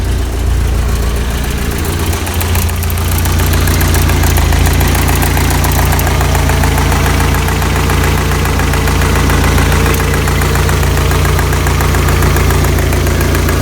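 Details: 1985 Toyota Pickup 22R 2.4 after fuel filter change, warm after about 10 minutes idling, idle dropped: light quick regular top-end tick over engine drone; owner suspects lifters, or chain slap from bad guides.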